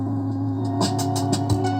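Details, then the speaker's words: Anvox ACA 800 Gladiador active speaker, 850 W RMS: low volume, steady low drone and buzz mixed with the music even at minimal volume. "mesmo quando eu baixo o volume pera aí na hora que so um pouquinho do volume aqui já vem um ruído junto"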